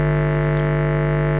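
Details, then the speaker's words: Clipped 50 Hz sine wave from an overdriven car audio subwoofer amp, played directly through the speaker without the capacitor filter: harsh buzzy drone with rough overtones, amplifier clipping. "That's a clipped sound wave. Horrible. Right now, my speaker should be combusting into flames."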